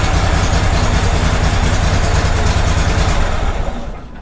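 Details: Kohler Command 18 twin after budget rebuild with damaged connecting rod repaired, started without choke: even, steady low thrum with no knock or misses, almost no exhaust smoke; much nicer than before, engine healthy.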